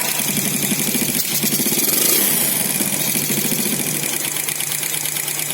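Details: Four-stroke motorcycle before valve clearance adjustment: fast, light metallic ticking over a steady idle. Excessive valve clearance causing tappet tick.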